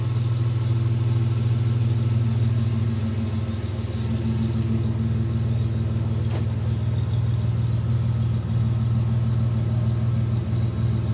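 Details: Third-generation Toyota 4Runner idling with a loud, deep rumble and a rough puffing pulse, about three beats a second, from an exhaust leak.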